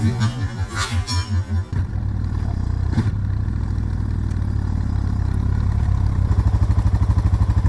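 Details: Suzuki DR650 after winter storage, with a replaced fuse and battery, started on choke: throttle blips, then a steady, even low single-cylinder thump at idle with clean returns to idle; normal idle and revving.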